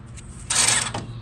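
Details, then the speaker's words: Toro TimeCutter mower left out in heavy rain, won't move, only one wheel working: short grinding, creaking whirr over a low hum as the brake motor runs uncommanded; owner suspects water-damaged switches, not confirmed. "oh wow it's making some noise let's see it's working"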